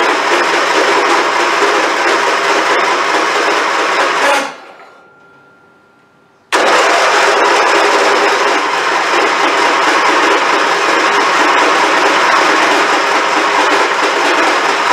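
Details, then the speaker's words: Abused, long-unmaintained Craftsman YT4000 hydrostatic riding mower, hood off: starter churns at a steady rapid beat, pauses briefly, resumes, engine never fires, every time. Cranks, no start; no fuel found in the filter afterward, cause not yet confirmed. "So there you go. It's not even trying to crank this out."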